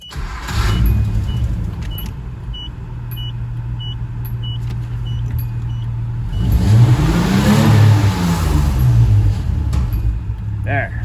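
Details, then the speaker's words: After the fix (wrong JH50-1 injectors replaced with the JH40-1 the V6 needs), 1985/86 Nissan Pathfinder VG30i throttle-body V6 holds a steady low drone, then revs cleanly past 3,000 rpm without stumbling, no black smoke, no limp mode. "There's no more black smoke, and the best part is it revs past 3,000 RPM."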